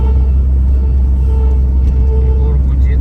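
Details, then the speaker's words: 2007 GAZelle truck with a Chrysler 2.4 L 139 hp engine, driving: a steady mid-pitched power steering hum over road rumble. The owner says it is worst when cold and suspects the pump needs replacing; this is not confirmed. "Он вообще поёт."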